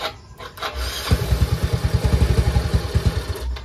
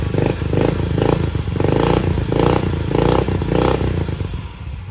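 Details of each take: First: Yamaha Mio i 125 scooter whose TPS had been disturbed: engine catches and chugs unevenly, then dies when the throttle is opened slightly; fix is setting the throttle position sensor with a multitester. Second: Yamaha Mio i 125 with TPS reading about 0.68 V closed, 4.14 V open: several quick throttle blips, revs climb and drop cleanly, then settle to a steady idle with no stumbling; runs healthy.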